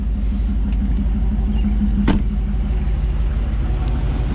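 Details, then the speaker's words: 2009 Dodge Ram 1500 Hemi V8, first start after engine rebuild: low steady rumble at about 700 rpm idle, no knocks or ticks, warming up; exhaust smoke from WD-40 burning off; normal idle. "looks like we're running about 700 rpms which is perfectly normal so we're going to let this run for a little bit while longer and kind of get up to temperature and then we'll go from there"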